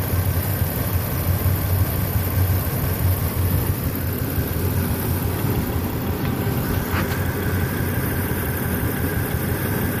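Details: Toyota Tacoma at idle, the day after its engine bay was washed, running worse partway through a drive: a deep, uneven, lumpy idle with a stumbling pulse; misfire, cause unknown.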